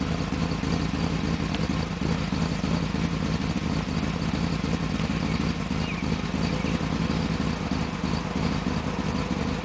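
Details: 1995 BMW 530i starting after a top-end engine rebuild, idling with an uneven, lumpy beat and running rough due to a vacuum leak.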